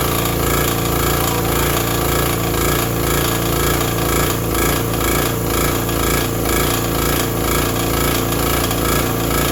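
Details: Vintage Briggs & Stratton 5 hp generator that fired right up once the switch was set fully to on: a steady beat with an even exhaust rhythm under light shop-vacuum load. No surging or hunting; a healthy run.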